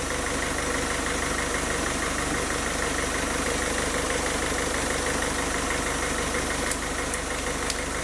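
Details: Diesel car engine after a rough-idle fix for RPM rising and falling at idle, with the fuel system bled of air: even clatter at a steady idle with a regular beat and no hunting or surging.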